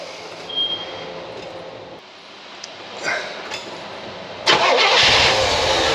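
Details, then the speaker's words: Stored car with suspected bad gas cranks and briefly starts, then settles into a steady run. It is running only on fuel poured into the carburetor reservoir. The fuel filter was glazed, and a fuel-soaked rag at the line shows the fuel pump works. "you notice now hey it starts why is that well it's not because it's getting fuel from the fuel line"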